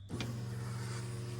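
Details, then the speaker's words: 1986 Corvette C4 L98, first start after long storage, key on before cranking: steady low hum of the fuel pump, even tone, no surging or whine, system primed, leak-tested, regulator cleaned; fuel pump running normally. "So my fuel pump is running. Like I said, I've already primed it, all the air's out. Did a leak test. I don't know if you can hear the fuel running through the rail in this video, but you can."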